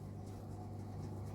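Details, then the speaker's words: Daewoo washing machine on an 800 rpm spin cycle: motor hums continuously with no drum tumbling or swish, as the drum won't rotate; the drum shaft was found broken and the tub damaged. "you can hear the noise the drum not rotating this is the problem"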